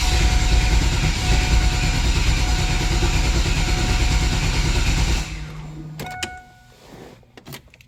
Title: LT1 no start vid 2